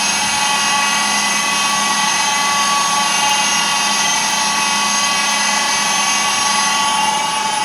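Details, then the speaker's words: DIY router milling machine on its first cut test, spindle machining at constant speed; constant high-pitched whine with a gritty edge and whistling overtones, owner judges the spindle bearing is not good: spindle bearing noise. "and the sound is not quite good during the machining. Firstly, the spindle bearing is not good."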